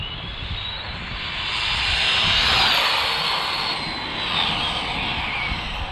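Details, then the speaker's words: Arrma Limitless RC car on 4S passing at about 75 mph after the noise blamed on the center dog bones: high electric whine swells and fades as it rushes past, clean and even with no rattle or clunk; runs smooth. "She sounds smooth as far as I can hear, y'all. Still at 75. But she hitting nice, man. Nice and smooth."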